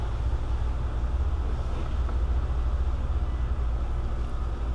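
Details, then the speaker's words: 2005 Nissan Maxima idling: deep, even hum with no ticking or rattle, no timing chain noise; code P0345 bank 2 camshaft position sensor, both cam sensors being replaced; no check engine light. "if there's an issue with the chain you would hear it running this thing came in here running perfectly"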